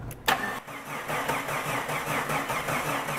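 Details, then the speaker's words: Slow-cranking engine, meter across battery positive post and starter cable terminal reading about 650 mV drop, visibly corroded cable end: sluggish, even cranking about five strokes a second without firing; slow cranking from corroded starter cable. "so i'm reading over a half a volt that was like 650 millivolts and if i look at that connection i can actually see the end of the cable looks pretty nasty as far as corrosion"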